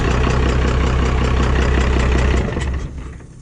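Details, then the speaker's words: 24-valve diesel pickup after an injection pump swap, pump timed to stock, running with the intake removed: a loud rough idle with a gulping, chuffing pulse about four a second before winding down, raw induction noise that goes away once an intake is fitted. "But sounds weird is because the intake's off. That noise goes away if there's an intake on it."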